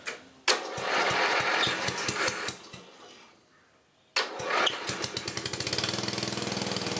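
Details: 1984 10HP Briggs and Stratton engine, first start after a rebuild with new rings and gaskets and reseated valves. A few pull-start attempts, then it catches and settles into even, quickening firing pulses, running healthy.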